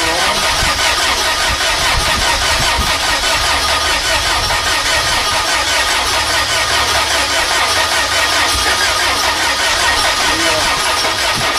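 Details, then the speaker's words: VW engine running on vaporized gasoline via vapor carburetor after valve adjustment: catches and keeps a steady even roar, no misses or stumbling. "Sure. I just simply ran it off the vaporized part of the gas, not the gas itself. Essentially, I'm pulling in air through here."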